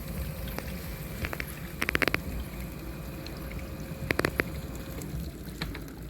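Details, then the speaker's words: GE Adora dishwasher DDT595SMJ0ES after replacing failed circulation pump (previously no wash sound, dishes not cleaned): quiet steady pump hum under sloshing water with splashes; normal wash cycle. "so that sound is the circulation pump which is right there that circulation pump was not going before it was not functioning and we replaced the circulation pump"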